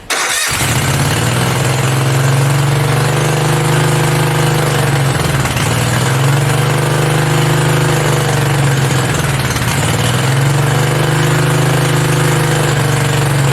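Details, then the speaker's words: Mini bike V-twin, a generator engine, first start with belt off and throttle knocked up; fast, steady drone that never settles; idling way too high, to be adjusted at the idle screw underneath with a screwdriver. "there's actually a screw underneath holding it because it's idling way too high so i gotta find a screwdriver and get that adjusted"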